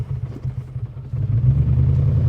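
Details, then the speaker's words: BMW E39 540i V8 on first drive after refitting missing EGR/secondary air pipe: deep uneven clatter swelling louder after limp mode, blinking check engine light and oil light; owner suspects oil pressure loss, cooked heads or engine. "oh it sounds really bad I think I blew the engine up"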